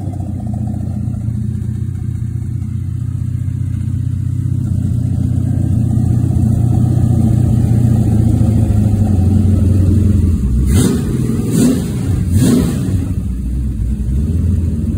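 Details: Original 1970 Pontiac GTO 400 V8 on a run stand, freshly blueprint-rebuilt: bored .030, KB pistons, ported #13 heads, Crower 60916 cam, 800 CFM Quadrajet, Ram Air manifolds, FlowMaster mufflers. Deep, even rumble builds, then three clean blips. Normal running.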